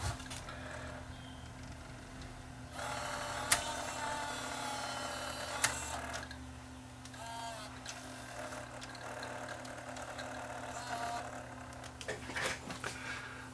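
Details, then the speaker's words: Panasonic SVHS-C camcorder during playback: quiet constant whirring drone with rough scraping edge, whole camera vibrating, now won't eject; likely bad head drum bearing, no replacement parts available. "that doesn't sound good that sounds bad that almost sounds like there's a bad bearing in this thing"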